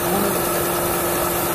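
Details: Mercedes C180 Kompressor with P0102 air flow meter fault codes: steady hiss over an even petrol idle, vacuum leak heard near the intake, later located by spraying electrical cleaner.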